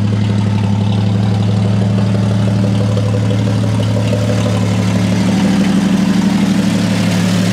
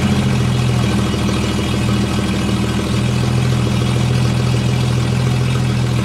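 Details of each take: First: 1954 Chevy 3100 pickup, original 235 cu in (3.7) full-oil-pressure straight-six with replaced radiator hoses; steady, even low idle with smooth regular beat, no misses, knocks or smoke. Normal idle. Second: 1954 Chevy 3100 pickup, original 235 cu in (3.7) straight-six, cold, 110–120 psi compression on all cylinders; idles steadily with low rumble and uneven puffing chuff from holed exhaust pipework, no valve noise. Exhaust leak.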